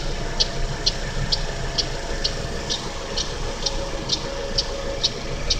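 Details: GM Daewoo Lacetti, 1.5L E-TEC II F15D3 DOHC inline-four at cold idle: crisp, evenly spaced ticks about twice a second, loudest between the exhaust cam pulley and the power steering pump. The tick disappears after 15–20 minutes of running; cause unknown.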